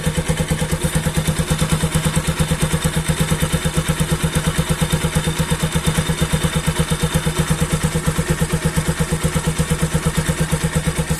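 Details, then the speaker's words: Bajaj NS200 motorcycle after repair of tak-tak noise from left side of engine (cover opened and fixed): steady evenly spaced firing pulses at relaxed idle, no tapping from engine side; problem solved, normal idle. "Is solve guys best idea भनेको यहाँ कान राखेर सुन्नुपर्छ इन्जिनको भित्रै सुनिन्छ क्या"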